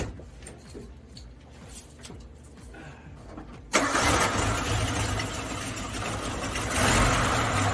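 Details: Suzuki Samurai after valve cover reinstall and fixing the fault that made it run badly: engine catches and settles into an even, steady idle with no misfire or stumble.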